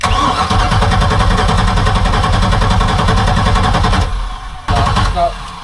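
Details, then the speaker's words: 1978 Sea Ray 24 ft boat with a MerCruiser 383 Mag Stroker, old bad gas and a carburetor later found to need replacing, hand-fed fuel after a backfire fire: it runs loud and lumpy, then sags and stumbles, as if fuel-starved. "now I'm just kind of basically Force feeding it with gas to make it run hopefully it primes up the fuel pump and does it by itself it was idling a little bit by itself"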